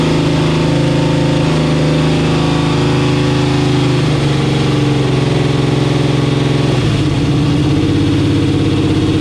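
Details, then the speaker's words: Camaro with 10.3L supercharged 632 ci big block, at 170°F; deep lumpy idle wandering and running away, hunting instead of settling; idle mixture set lean around 14.6: lean idle surge. "well james was like dude it sounds freaking it's just running away and on a carburetor it runs away when it's lean like this"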